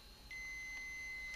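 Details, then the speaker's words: Old Toshiba 305CDS laptop, external display cable plugged in: thin steady high squeal starts the moment the lid shuts and holds constant in a quiet room; no lid switch, source unclear, owner suspects a lid sensor. "if you can hear that it starts squealing there's no switch in here like some of them have little button there is no there is none but I don't know what there must be a sensor in there that tells the screen uh you close it"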